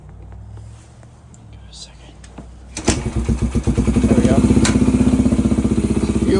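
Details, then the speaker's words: 2004 Yamaha TTR125 single-cylinder four-stroke after replacing bent valves (zero compression) and carb work; starts on one kick and settles into a smooth, steady idle, no smoke. "as you can see we got an idle here smooth Idle No Smoke sounds good works I have a smooth functioning idle"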